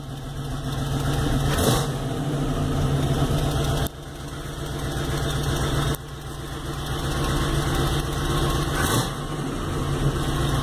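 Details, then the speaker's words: 1989 Chevota swap (dual batteries, two-relay electric fans) just started, idle with a loose uneven puffing chug from an exhaust leak; engine responds well to throttle. "anyway you can hear a little chugging from the exhaust leak that's in there but responds really well"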